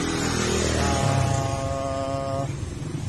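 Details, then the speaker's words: Motorstar Easyride 150 single-cylinder after valve tappet adjustment, timing set and tensioner fixed: even thump about four times a second, no ticking or rattle; earlier engine noise gone, healthy normal idle. "resulta Yun oh oh nawala na yung ah maingay mga pre Ayan Okay so Okay na Yung kanyang timing mga pre"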